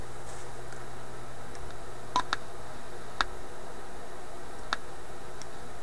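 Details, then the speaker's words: Florida AM/FM/SW Yugoslavian-built tube radio; low steady hum with scattered sharp scratchy crackles as tuning moves, suspected tuning capacitor bearing or touching plates, likely the last plate. "you know this might be the bearing in the capacitor sure sounds like plates touching"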